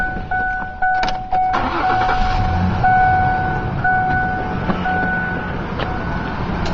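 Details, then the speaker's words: 2000 Ford Ranger 3.0 V6 after replacing the squealing upper idler pulley, with automatic belt tensioner: engine settles into a steady, even idle with no squeal or metal-on-metal pulley noise; normal idle, noise fixed. "and the problem is fixed noise is gone away no more annoying pulley sound and it was really easy didn't even take that long"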